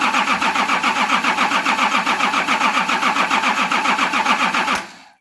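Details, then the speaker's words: Nissan LD28 diesel with a part-repaired starter cranks evenly at about three and a half beats a second for five seconds and never fires: the pump's fuel cut-off solenoid is unpowered, so fuel doesn't flow to the cracked injectors. "I just realised that this pump has a fuel cut-off solenoid that when you turn the ignition on, it opens to allow fuel to flow."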